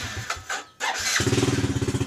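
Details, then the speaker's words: Yamaha Jupiter Z with heavy fuel use and stuttering: hesitant, much-delayed cranking needing several attempts, then a sudden catch into a quick, slightly lumpy beat. "ini Brebek kita mau hidupin dulu ya dia merebet dan untuk respon staternya itu sangat delay sekali tuh dia kalau nggak dikasih yang ketiga nih kayak gitu tuh enggak mau duduk langsung loh"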